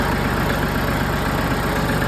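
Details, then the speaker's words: Massey Ferguson 1736 diesel tractor after hard-starting fix (gummed fuel filters replaced, oil level possibly low): cold start catches quickly, then even steady idle clatter with no stumbling or surging. "That's an improvement."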